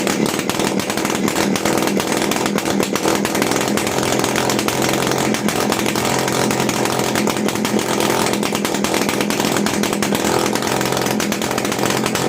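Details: TVS XL Heavy Duty two-stroke moped just after a full engine rebuild, kick-started at light throttle on extra oil in the fuel: high, buzzy note holding steady and even with no misfires or rattles; sounds healthy.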